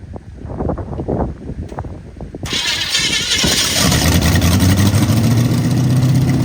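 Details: 1929 Model A truck with a replacement engine, on a weak battery, cranks unevenly for a few seconds after the firing order was corrected, then catches and settles into a steady, even run.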